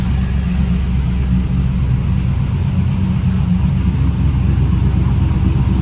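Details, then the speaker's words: Trailblazer SS with long tube headers and full 3-inch exhaust: loud, deep V8 rumble with a steady lumpy beat around two per second, pulling evenly on revs with no knocks or misses; still runs, not yet driven. "full 3-inch exhaust on it. So there's the proof. It still runs. Still runs."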